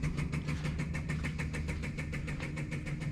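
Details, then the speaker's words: 1964 Ferrari 250 Lusso with the fuel line disconnected to test the pump: fast, even ticking at about six beats a second with a low hum, trying to build pressure but delivering nothing. The owner believes the car is out of fuel. "and as you're watching this you can hear it you can feel it kind of trying to come up a little bit of pressure but nothing's coming through and i believe i think the car's out of fuel"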